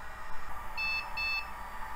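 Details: Dell Dimension XPS T500 at first power-on after teardown and repairs: two short high beeps over a low fan hum, then quiet. Passes its power-on self-test normally.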